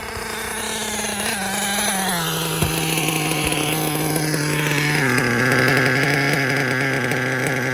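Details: K5.9 nitro engine on an HB D8T with LRP 32 Spec 2 carb, hot plug: high buzzing tone falls into a steady, even note that holds clean under revs; runs properly now.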